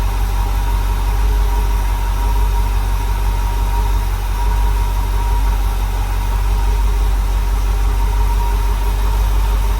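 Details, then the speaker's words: Rebuilt small block Chevy V8 in a dump truck on first startup, air filter off, timing not yet set, 50 lb oil pressure: faint steady high whistle over heavy even idle rumble; source uncertain, possibly the open intake without air filter. "It's making like a whistle sound. You hear it? Was that just cuz the um air filter is not on?"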